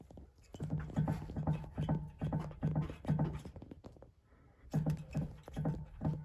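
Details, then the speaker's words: 2021 VW ID.4 Crozz with 17,000 km: dull rhythmic clunks, about two a second, as the right stabilizer link is rocked by hand with a wrench. The worn link is the cause of the suspension knock and was then replaced. "він мені нагадує той звук що якраз стої під капотом ну звук є"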